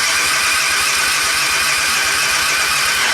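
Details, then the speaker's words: Suzuki Intruder 125 motorcycle, cold engine, ignition on: starter cranks steadily with even compression pulses but the engine never fires; crank-no-start, battery reads 11.55 V, electrical fault suspected. "i teraz zademonstruje jak więc na czym polega problem włączę zapłon i próbuję kręcić silnikiem tam samego siebie zimny"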